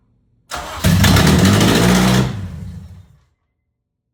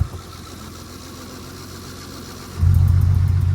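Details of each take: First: Honda K24 swapped into a daily-driven EP3 Civic, freshly finished; cranks, catches and revs cleanly, then settles into a smooth, even idle with no misses or knocks. Healthy start and idle. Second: K24-swapped Honda EP3 with cold air intake, running rich: quiet idle then a sharp rev; a light ticking tracks engine speed, confirmed with a stethoscope as an exhaust leak rather than valvetrain tick.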